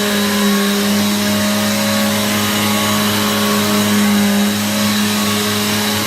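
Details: Free Hoover vacuum just repaired and reassembled, switched back on; smooth constant motor hum with steady tone, no rattle or grinding, loud, likened to a Hoover Pure Power, sounds much better than before.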